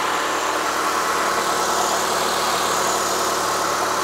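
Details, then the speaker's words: Abandoned 2006 Mitsubishi Lancer after tune-up with new spark plugs, plug wires, coil packs and boots, AC off: smooth, even idle with a steady hum and no knocks, misses or ticks; engine running cleanly. "Let's see if it's even gonna crank up. Sounds good. She's idling perfectly."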